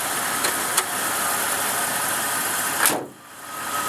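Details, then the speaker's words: 2000 Jeep Cherokee XJ after lifter replacement, running about 15 minutes: steady, even idle with no knocks, ticks or squeals, no leaks or misfire at the tailpipe; engine sounds healthy. "it's not leaking anything it's not making any funny noises so we're going to see how she goes"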